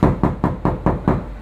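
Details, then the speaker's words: Mitsubishi Xpander rear right door, bare before sound deadening installed: six quick knuckle raps, each ringing boomy and hollow; untreated door skin resonating. "terus sebelum dikasih peredam suaranya seperti ini nurya"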